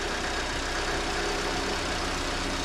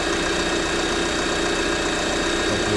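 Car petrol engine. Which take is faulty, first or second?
first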